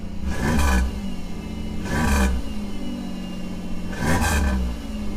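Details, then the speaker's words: 1997 Camaro V6 revived from the crusher, now running on all six cylinders: repeated even revs with a steady exhaust note and no misfire; normal revving, with oil pressure reading high and a haze coming from the exhaust. "that sounds definitely like she's running on six oil pressure is still high again"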